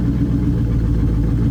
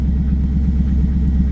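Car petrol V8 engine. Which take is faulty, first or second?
first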